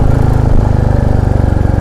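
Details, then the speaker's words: Royal Enfield Classic 350 climbing from Dehradun toward Mussoorie after a complaint about an engine tik-tik noise: even, steady single-cylinder thump with no tapping over the beat, running smooth and healthy. "क्योंकि bike अभी अच्छी चल रही, smooth चल रही, बढ़िया चल रही एकदम।"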